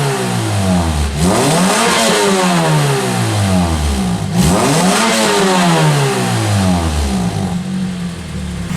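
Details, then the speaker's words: 2003 Pontiac Vibe GT, 2ZZ-GE four-cylinder, after exhaust leak repairs: two clean revs through 2,000, 4,000 and 6,000 rpm dropping back smoothly, crisp stock-style exhaust note with no rattles or misses; healthy. "so i'll give you a couple of revs to see what this thing sounds like 2000 rpm red 4 000 [Music] 6 000 rpm"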